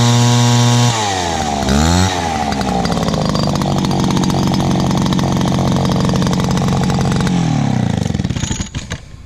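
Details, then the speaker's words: Dad's old backpack blower, about 39.7 cc two-stroke, choke only and no primer, first start of 2019. It catches, revs briefly, then settles into a loud, steady, even drone with no misfires. Loud but runs really good. "Oh yeah, this is a loud one, but it runs really good."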